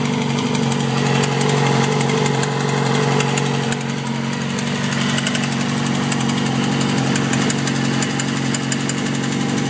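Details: 2007 Yamaha R6 at idle, recently tuned with valve adjustment, plugs and oil change; fast light tick about four per second, started quiet at a stop light, now loud. Owner suspects cam chain tensioner or low oil; unconfirmed.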